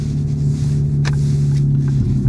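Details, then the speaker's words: Cheap Ford Focus cruising: a steady low droning hum under wind and road noise, holding its pitch as the car rolls; a worn wheel bearing whose noise is getting progressively worse. "And when I say that, the more I hear the wheel bearing making worse and worse noises, I do wonder."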